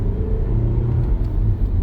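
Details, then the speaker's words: 2015 Nissan Sentra with intermittent no throttle response, low power and no shifts from a water-shorted tail light assembly, floored with headlights off: deep steady rumble, no stumble, pinging or hesitation; normal acceleration. "You guys can hear the engine doing its engine-y stuff."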